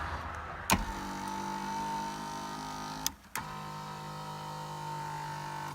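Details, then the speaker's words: Inner power seat motor after lubricating the dry seat-track screws: even, steady hum that runs, stops and reverses without strain or grinding, a night-and-day difference; normal power seat motor operation. "And you'll notice a huge difference in the sound of the electric motors that power your seat. It's like you're giving them a breath of fresh air."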